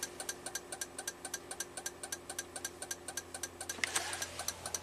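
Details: 2004 Toyota Avalon 1MZ-FE V6 with a flashing check engine light, glitching center display and erratic temp gauge: steady, crisp clicking from the dash at about four per second, like a relay chattering, in a quiet cabin.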